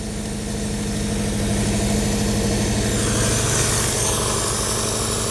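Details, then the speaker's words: 1955 Hudson Metropolitan barn find, first run after 28 years, new coil: steady, even idle with low hum, no misses or knocks; normal idle, carb not leaking, fuel pump suspected of only priming. "nothing really leaking from the carburetor so I'm going to have to say that this is probably going to be the fuel pump and it could just be priming the system"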